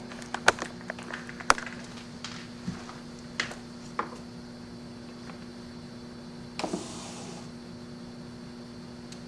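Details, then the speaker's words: Driver-side power window motor from a 1991 Chevrolet S-10, about 22 years old, bench-tested off a battery with an ammeter: steady hum, clicks, then a brief whirr that dies within a second as current falls; motor stalls on a fouled commutator. "hopefully you heard and saw the motor turning the current is falling off fairly rapidly"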